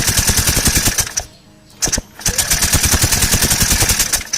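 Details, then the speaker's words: Yamaha NVX155 scooter that won't start, previously opened elsewhere, with a newly fitted and charged battery: starter cranks normally with even chuffing but it never fires; error code shown and spark looks abnormal, too big and reddish. "dari segi bunyi itu dia bunyi macam biasa Oke magnet pusing macam biasa tuh k orang dengar ya"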